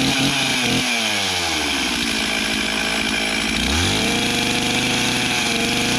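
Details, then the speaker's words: Stihl MS360 Pro chainsaw after a Chinese aftermarket carb swap, adjustment and new spark plug. Started totally cold with decompression release and choke; it revs cleanly and settles into a steady, even high-pitched run, starting much easier: normal running. "All right, well, it started a whole lot easier and it sounds like it's running as good as it ever has, so I'm pretty happy with that."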